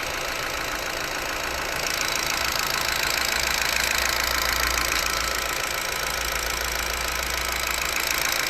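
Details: Ford Focus 3 at idle, owner unsure whether it is normal: a fast, fairly even light ticking at about three per second rides over the steady idle. Engine knock, cause unclear.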